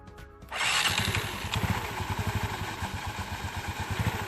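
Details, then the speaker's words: Yamaha Mio Sporty after CVT service (clutch unit fine): kicks into life, then settles into an even, steady idle with regular firing and no scraping from the belt drive; now smooth. "suaranya sudah halus ]"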